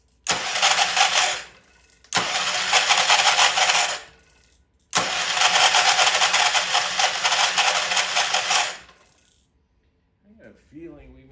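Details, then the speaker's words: Old Troy-Bilt Pony rototiller cranked by key on a temporary battery after freeing stuck-slow valves: three harsh, rattly cranking bursts with no catch, won't fire; starter sounds terrible, owner suspects a valve spring issue. "all right that's a little better have a fighting chance here that is starter sound terrible"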